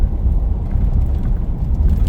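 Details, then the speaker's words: 2015 Ford F-150 3.5 EcoBoost on a test drive at 60 mph after throttle body replacement, air filter and relearn (codes P1124, P2112, limp mode before). Deep, steady drone under hard throttle with wind and road rumble, no surging or stumbling. It now pulls normally without limp mode. "It has power like it never had before."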